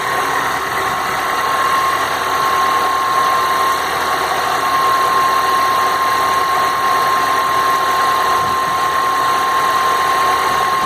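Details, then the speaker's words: Citroën C4 Lounge THP on cold start: hard, rattly diesel-like clatter with a steady high tone over it, quieting once warmed; cause not identified. "barulho, ó, diminuiu, ó. Olha a diferença do barulho agora. No começo aí parece carro a diesel, ó."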